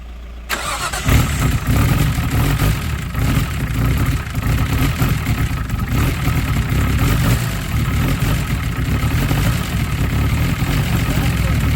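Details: Nissan R33 Skyline with freshly built forged engine on running-in oil, first start: catches after a short crank and settles into a steady, deep, even idle with no knocks or misses; runs healthy.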